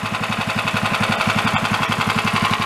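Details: 13 hp Honda-clone single-cylinder engine for a go-kart, after valve adjustment, warming up at fast idle; sharp metallic knock in step with every firing pulse, getting louder the more it runs, cause unknown.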